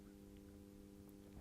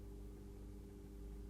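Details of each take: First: Atlas C420 model diesel locomotive with massive flywheels, new and not yet run in, crawling at low speed; quiet, steady electrical buzz at one pitch with coggy, uneven slow motion, the motor struggling at the low end. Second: Atlas C420 model locomotive, new and not yet run in: steady, even motor hum at medium speed with no surging or stutter, running smoothly; it is coggy at low speed.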